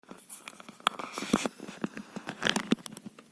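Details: Coil whine from ASUS Dual RTX 2060 SUPER EVO OC (DUAL-RTX2060S-O8G-EVO) graphics card under heavy gaming load such as Metro Exodus: irregular crackling and fine squeaky ticks from singing chokes.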